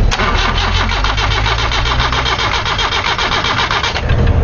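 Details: 1993 Nissan Tsuru (red-top engine) that stalls and won't restart, ignition switch on; starter turns the engine in a fast, even beat for about four seconds with no firing.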